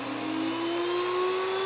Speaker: You'll hear it start to spin down and wind up here a little bit, and that means it's done grinding.